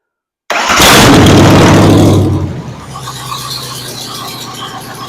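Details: 302 V8 budget rebuild, first runs with a temporarily hooked-up carburetor, fuel line and starter: it cranks, fires and flares loudly, then drops to a steady, even idle as the fuel pump feeds the carb. Runs fine.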